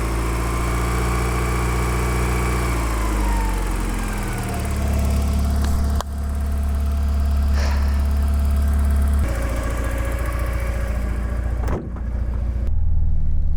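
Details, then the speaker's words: Porsche 944 engine, after no-start trouble, holds a smooth idle and pulls up and back down cleanly through revs with an even beat and no misfire. It runs nicely once started; the owner suspects wiring or injector supply at starting. "Right. So when it runs, this engine runs really nicely."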